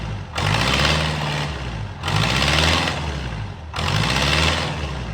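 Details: Swinger 3000 diesel with the exhaust manifold and muffler removed for repair: harsh, blaring roar swelling in rough surges every second or two; running on an open exhaust with no muffler.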